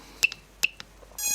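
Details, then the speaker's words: MD2 drone flight controller buzzer sounding as buttons are pressed, with a 3-cell (3S) lithium battery reading 11.7 V connected. Two short high chirps, then a longer steady tone, confirm the buzzer is connected correctly and working. "So if you connect the buzzer correctly, you will notice a sound. Also, if you press a button, you will hear a beep every time. It means that this is now working."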